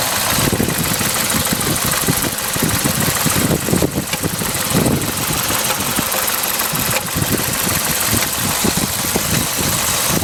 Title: BMW 745i misfire